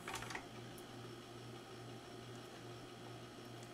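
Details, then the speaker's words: Magnavox ZV427MG9-A DVD/VCR after replacing a shorted capacitor and damaged transistor feeding the capstan/loading motor, mechanism unmounted: loading clicks then a soft steady motor hum, no grinding; tape plays normally. "have a monitor connected but it looks like it's gonna play the tape just fine"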